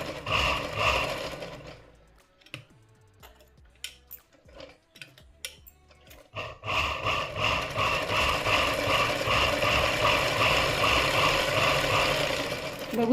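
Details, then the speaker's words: Domestic sewing machine just after oiling, which had a loud khat-khat clatter before: even, quick stitching clatter about 160 per minute with no heavy knock, noise dying down; normal running. "पहिले इथे आहे ना याच्यामध्ये असा खटखट खटखट आवाज येत होता आता तो हळूहळू एकदम कमी होऊन जाईल"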